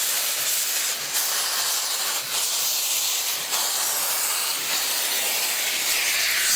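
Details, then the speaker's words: Preserved South African steam locomotive pulling off at Capital Park, Pretoria, cylinder drain cocks open: loud steady steam hiss with soft chuffs about three a second as condensate water blows out of the cylinders, normal. "those little valves those little water underneath the cylinder which allow condensated water to escape when we pull off you will see a lot of steam being blown out there with water don't worry about that's perfectly normal"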